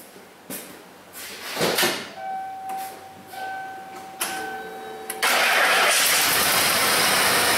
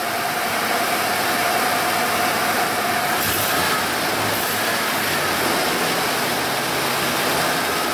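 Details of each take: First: 1995 Ford F-150 5.0 L V8 (OBD1, cowl induction hood) running poorly: cranks, catches and settles into a rough, uneven idle with a stumbling beat, sounding like a single-cylinder misfire; shaking pronounced in gear. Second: 1995 Ford F-150 5.0L after fixing a single-cylinder misfire (a Subaru plug wire is fitted on that cylinder). The engine settles into a steady, even idle with no stumble or skipped beats over background hiss; normal idle.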